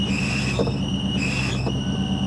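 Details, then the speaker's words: Ford Mustang GT SN95 V8, converted from automatic to manual, clutch engages fine: a steady high whine over the V8 rumble that holds with the clutch, judged a failing throwout bearing. "Guys, that sounds awful. Now the clutch felt like it was fine. It did engage. But I'm here to tell you. Oh my goodness. That's a throwout bearing."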